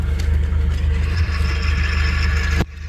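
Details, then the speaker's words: Nissan Platina at idle with the clutch pedal held down: deep steady idle with a faint dry whirring rattle on top. The worn clutch release bearing is making noise; replacing the full clutch kit is advised. "Y bueno, si ya comienzan a tener este sonido, lo mejor será cambiar el kit de clutch completo y no solamente el collarín, para que tengamos un mejor funcionamiento."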